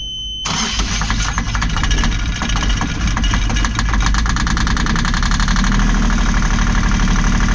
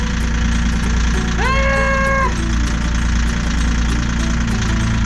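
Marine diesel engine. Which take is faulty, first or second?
first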